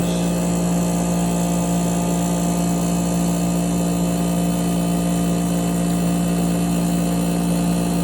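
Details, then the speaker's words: 8,000 BTU through-the-wall AC, front cover off, compressor after startup; steady hum with a low tone pulsing up and down about once a second, surging more slowly as it nearly finishes settling. "I don't know if you could tell, but when it was slowly going back up, it wasn't going so fast, so that means that this thing is almost settled, it's just about settled down."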